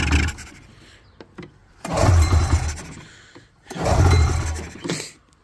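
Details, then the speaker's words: Allegedly 1989–90 Polaris Indy 650 two-stroke snowmobile yard find, fairly dry motor, plugs refitted and run on starting fluid: bursts of cranking every two seconds with brief rough catches that die out; it tries but won't start. Carbs to be cleaned next. "You're not supposed to run a two-stroke on starting fluid, but it's all right. It'll be okay for a little bit. Anyways, yeah, it's trying to."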